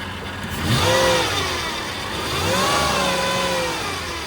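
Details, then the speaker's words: Flooded Copart Cadillac DTS limo revved twice; the engine settles cleanly with no knock or miss, but a faint whine rises with the revs from a power steering pump that is low on fluid. "Power steering pump whining because it's out of fluid, but aside from that, the engine sounds great."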